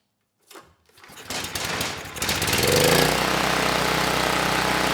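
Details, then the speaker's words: Campbell Hausfeld 5000W generator (GN503100AC), 9 hp Briggs Vanguard engine, after swapping the oversized clone pilot jet for the OEM pilot jet with the clone main jet: a few pulls and sputters, then a steady, even drone running smoothly without load. "that was it it was just the pilot jet the Clone pilot jet was just way too large you know this time the engine ran nice and smooth without a load"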